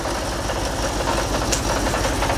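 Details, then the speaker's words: Audi R8 at idle: lumpy, uneven idle with irregular thumps and no steady beat; misfire. "Let's fire it up. See if it misfires. Well, it sounds rubbish."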